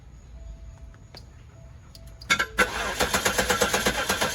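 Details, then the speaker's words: 1998 Oldsmobile Aurora V8, sat for years: after fixing the flap inside the intake manifold (not the MAP sensor), it cranks briefly, catches and settles into an even pulsing idle with no rev-up surge or hiss; normal start. "So that was the problem. So that was the problem. So it wasn't the MAP sensor. It was that little flap inside of the intake manifold."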